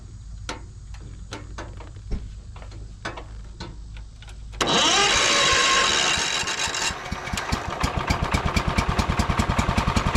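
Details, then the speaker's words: John Deere 110 mower sat about 10 years, throttle working, clutch disengaged: about four seconds of slow starter ticks, then it catches and settles into a fast, even putter; just needed cranking longer. "Look at that. You didn't even have to do anything. Wow. So, I guess I just didn't crank it over for long enough."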